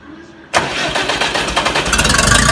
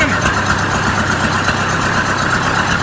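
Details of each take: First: Oliver 550 tractor diesel, new injector just installed: starter spins the engine with quickening, even chugs but it never catches; hard-starting, won't fire. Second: Oliver 550 tractor diesel after a new injector install, on a rigged-up radiator: an even, steady idle at about two beats per second, no stumble or miss, not smoking; running clean.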